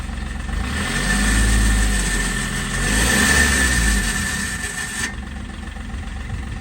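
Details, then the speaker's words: Seat Ibiza engine with a failed turbo, smoking. A thin, steady high whistle rises and falls as the engine revs up and back down, then cuts out. The turbo noise is louder from the rear than from the front. "Yeah, that's the C's turbo, isn't it? You can hear it from the back more than you can the front."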